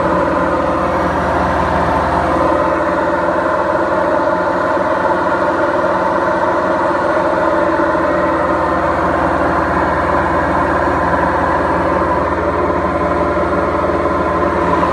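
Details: Beko washing machine, 7 years 8 months old, gives a loud, steady low roar through the high-speed spin with no knocking: worn drum bearings.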